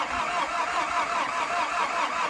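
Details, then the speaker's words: VW T4 van with mechanical fuel pump, sat unused four years, after fitting a reconditioned starter motor: steady even cranking with no catch or firing; turns over but won't start, likely fuel supply, owner plans fresh diesel. "so uh as you probably tell it didn't start the starter motor worked it turned over but it just doesn't seem to quite have enough it's a mechanical fuel pump and it's been sat for four years"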